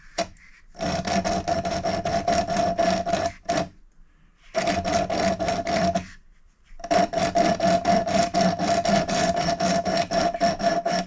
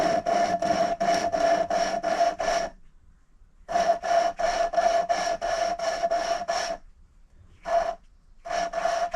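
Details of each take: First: Valve being lapped into a cylinder head seat with coarse grinding paste, rotated back and forth: gritty rasping about four strokes a second, still rough; it goes quieter toward silent once the seat is bedded in. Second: Now what you do is you listen really carefully, and you'll hear the grinding noise, and it will go quieter and quieter to almost silent. Once it gets to almost silent, you know that you're done.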